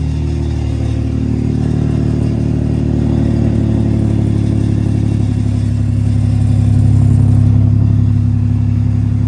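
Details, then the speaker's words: Toyota 3.4 V6 truck camper with a new loud exhaust idling shortly after a cold start: a deep idle with a light metallic rattle from the loose temporary exhaust hangers. "You can hear those temporary hangers really rattling."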